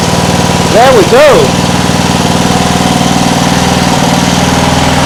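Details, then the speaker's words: Homemade air-cooled outboard from a cheap lawn mower engine, after quitting earlier (maybe water): small single-cylinder runs a steady, even beat, no misfires or stumbles, driving the propeller forward and reverse; sounds healthy. "sounds nice forward reverse"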